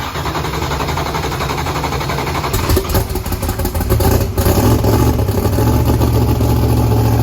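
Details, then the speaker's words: Blazer's Texas Speed blower engine with big turbos, newly fitted turbo oil restrictors: loud, lumpy, uneven beat with choppy gaps as it revs, oil pressure 65. Misfire, running on only 4 cylinders because spark plug wires were left unhooked. "65, but it's only running on 4 cylinders. These spark plugs with wires I didn't hook up."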